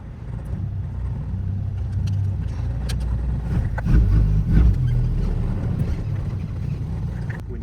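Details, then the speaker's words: Triumph TR4A on road, full throttle: low drone stumbles and surges, misfire, can't accelerate further, later stuttering even in 2nd; car limped home; mechanic suspects ignition timing going off, unconfirmed. "now I can't even accelerate any more than that she just stuttering"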